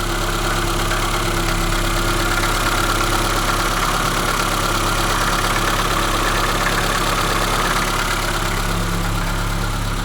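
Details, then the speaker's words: ZAZ Sens 1.3 idling: irregular light chaotic knocking, about three per second, from the belt side; owner suspected the water pump or tensioner roller and replaced the pump, roller and alternator belt; water pump bearing knock. "кто-то стучится этой стороны похоже на помпу или ролик 3 помпа"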